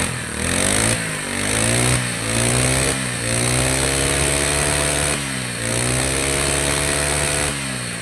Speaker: เครื่องสมบูรณ์คาบูสมบูรณ์น้ำมันอากาศสมบูรณ์สตาร์ทกี่ทีก็ต้องติด